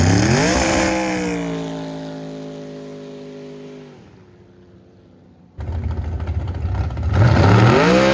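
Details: Jet boat with a rebuilt 632ci big-block Chevy, later pass at full throttle with no launch profile. Strong, steady high-rev pull, backs off, then climbs again cleanly without stumbling or hitting the limiter; healthy full-throttle run.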